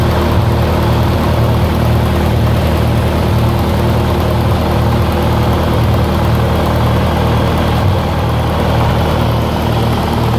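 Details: 1948 Lincoln SA-200 welder engine, long unfuelled, carburetor refitted on temporary fuel, runs steady and low-pitched with a smooth pulse of about two firings a second, no knocks or misses; revived with little work, normal.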